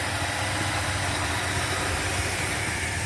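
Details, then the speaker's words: 1977 Buick LeSabre idling smoothly, a steady low rumble with no misses, surges or knocks. The owner suspects the float and needle had been hanging up. "There we go. She is purring like a kitten."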